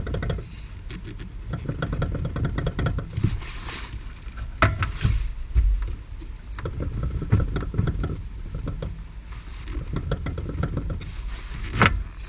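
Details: 6-year-old Lada Kalina, wheel rocked quickly: irregular dull clunks over a quiet background; loudest, clearest knock from the electric power steering unit, the rest from the steering rack; steering shaft joints have slight play but don't rattle.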